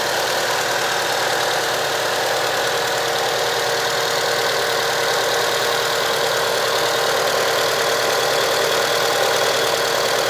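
Idling engine with a slightly uneven, stumbling beat, as if one cylinder drops out now and then. Cause suspected, not confirmed.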